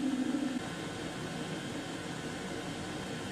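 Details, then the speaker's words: Chinese diesel heater running at full output with all bars showing, heat exchanger hot and warming up toward temperature in a workshop; steady even roar of fan and burner with no pulsing, surging or misfire, normal running. "right we're firing up now we're well underway all bars going now that heat exchanger is nice and hot I can feel that hair blasting out we should be up to temperature pretty soon"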